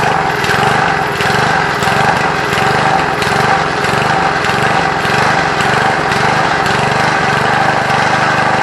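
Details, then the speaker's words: Lawn Keeper (Trim Rite) edger with a Briggs & Stratton small engine, running without its air filter at about half choke: speed rises and falls in a repeating sub-second cycle, surging badly. Owner suspects a lean mixture, since nearly full choke smooths it. "Alright guys, as you can hear, it's surging real bad. Sounds like it's running a little lean, because I had to close the choke all the way almost shut to get it to smooth out,"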